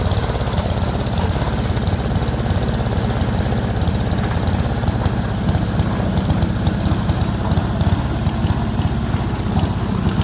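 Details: Speedex 1630 garden tractor after a new carburetor, running and riding for the first time in years on a reused head gasket: a loud single-cylinder chug with stumbling, uneven beats and a knocky edge, running rough, cause unknown.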